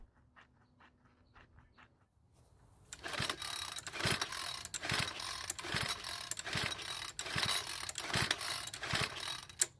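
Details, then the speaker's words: Troy-Bilt 4-cycle edger with a failed fuel return line, primed with the bulb: quiet ticking, then about one rough pull per second with no firing; cranks but won't start. "So of course it didn't start, but then again, I had a feeling that was going to happen."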